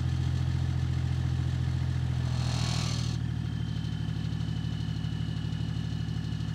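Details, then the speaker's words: BMW E39 530d, M57 diesel, idling after the muffler was rewelded: light regular tapping a couple of times a second as the exhaust pipe knocks against the rear bumper, which is slightly melting. "Вторая проблема, которая появилась после этого глушителя, это то, что он трет об бампер, и бампер вот здесь немного плавится."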